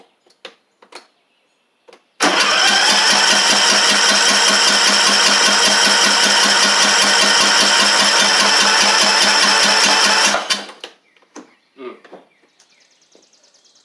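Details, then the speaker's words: Troy-Bilt TB42 hydrostatic lawn tractor with a Powermore 541cc engine, suspected bad head gasket. The starter gives a fast, even whir for about eight seconds with no firing, so it cranks but won't start. The owner suspects a grounding-out or wrong ignition coil, or water in the fuel or carb. "And let's see if it will kick over for us. It will kick over. It ain't cranking yet,"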